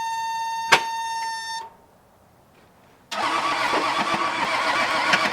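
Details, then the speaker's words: Case 1835C skid loader diesel with broken piston rings, on 12 volts with glow plugs working: short chime, pause, then steady starter cranking that never runs; cranks but won't start, cause not confirmed. "I do fear for my starter in this whole ordeal. Glow plugs are definitely working because I had them on and something decided to, you know, catch."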